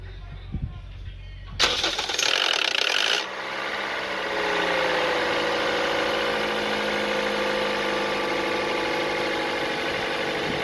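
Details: Toyota 1NZ-FE/FXE 1.5 L engine with the valve cover removed: a harsh rattle for about a second and a half at start-up, then a steady idle. Timing chain slack because the tensioner lost pressure.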